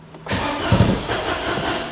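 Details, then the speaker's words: Citroen Aircross 1.2 82 PS three-cylinder petrol after clearing fault codes, fuel pump heard running: starter churns, engine catches for a split second on the first turns then keeps cranking without running; cranks, fires briefly, no start, cause unconfirmed. "now that fuel pump keeps running can you can you hear that the first second of its fewer first few turns it tries to Fire and then it don't wanna know"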